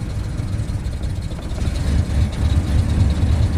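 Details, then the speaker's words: 1996 Ford F250 7.5L big-block V8 after rebuild (new pistons, rings, camshaft), warming up: deep lumpy idle with uneven surging pulses, truck shaking, running very rich with poor vacuum; one weak cylinder seen, root cause not yet found. "as far as bad boy up we'll see if it runs any smoother than yesterday so here it goes again with its loping I'll pull up some live data see what's going on"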